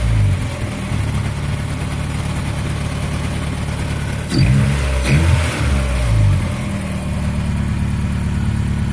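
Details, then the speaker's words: 1989 Honda Prelude Si after fuel injector replacement; the engine shook badly before: engine revs up cleanly and settles back to a steady idle with quick, even throttle response; runs smooth with no misfire shake, only normal vibration. "the engine was really shaking a lot before the field injectors changed now it's pretty much just normal vibration man oh i love it"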